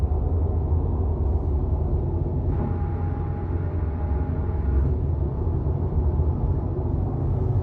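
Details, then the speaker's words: 2019 Subaru WRX STI at highway speed after rear wheel bearing replacement under warranty: only steady low tyre rumble, and the buzzing drone above 60 mph is gone; wheel bearings sound healthy. "okay guys I'm back on the road speeds after the repair got the new wheel bearing put in and the noise is gone"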